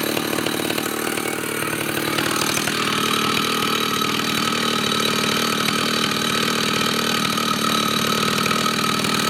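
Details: Vintage Husqvarna 2100 CD 99cc two-stroke chainsaw, fresh rebuild with new bearings, seals and rings: steady crisp buzz at even high speed, no surging or misses; runs clean, high jet could be leaned out more.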